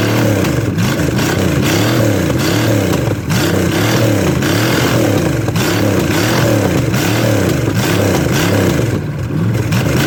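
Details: $50 Chevy small-block 305, first run after swapping a points distributor that wouldn't time for an HEI, no coolant in it: loud, even V8 rumble rising and falling with repeated throttle blips, no misses or knocks; runs and revs healthily.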